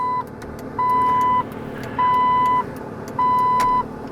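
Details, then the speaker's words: Jeep TJ after DIY replacement of failing headlight/turn signal multifunction switch, key on: clean even high flasher beeps about every 1.2 seconds over faint hum, left and right signals working; normal turn signal operation. "left turn signal right turn signal all appear to work"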